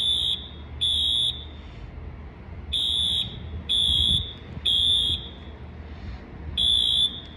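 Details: Sprinkler waterflow alarm test: high-pitched horn blasts around 3 kHz in uneven repeating bursts every second or two; normal waterflow alarm horn.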